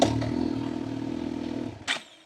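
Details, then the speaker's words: Motorcycle pulling away from idle, clutch released without throttle preload: engine note sags and labours under two seconds, then cuts out with a clunk; stall from clutch release without throttle. "That's a good preload. And this is what happens when you don't preload."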